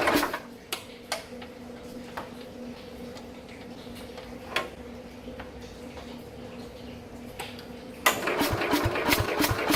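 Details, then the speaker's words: 1969 Bolens 850 tractor, Wisconsin S8D engine unused over three years: with battery charger on, slow uneven cranking with slight throttle and choke, huffing exhaust and scattered pops that never catch; owner suspects very low compression; cranks but won't start. "Sounds like it's kind of trying to do something, but it's either got like so little compression in it that it can't properly fire or something. It's like it's trying to do something, but it can't."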